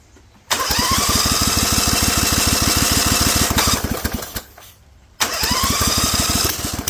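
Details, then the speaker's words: Rebuilt Vanguard 16HP V-twin with a 23HP carb, on choke with idle raised, open air filter and header giving too much air (owner expects it unhappy); a spring came loose: catches and chugs unevenly, fades out, then restarts rough. "I'm gonna up the idle and see if we can get it to punch up because we're running open air filter open header open everything it's getting way more air than it really should and so I expect it to not be happy"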